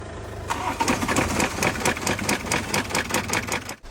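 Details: BMW B47 diesel after removal and full engine rebuild for a crank complaint, refitted and started: catches and settles into a crisp, even clatter with no knocking or rattling, sounds healthy.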